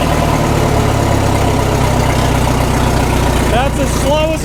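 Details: 1936 Caterpillar Twenty-Two tractor, first run after sitting for years and after a non-sparking magneto: a slow, even beat at low throttle with no knocks or misses, and 35 PSI oil pressure. Smooth, healthy normal idle.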